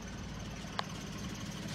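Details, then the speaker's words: Engine with head gasket blown after overheating from a leaking water pump, running worse than the day before with check engine light blinking: low, uneven, lumpy stumbling idle with one sharp tick; misfire from the blown head gasket. "all right it's running worse than it did yesterday when i checked it out actually we got the check engine light blinking in there now i didn't see that yesterday either"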